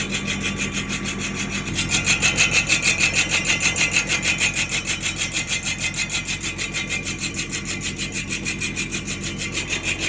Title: #Grinding noise drum Nissan patrol#